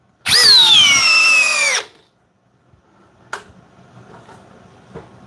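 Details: Corded Metabo HPT drill in high speed, drill mode, driving a 3/8 x 8 in screw. Whine sags as the screw bites, then cuts dead within two seconds with the trigger held: overload cutout, leaving the screw well proud.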